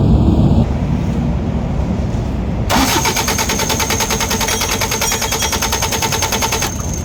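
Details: Diesel cranking steadily about three turns a second but never firing; injection pump delivers no fuel despite new solenoid and timing gear confirmed turning.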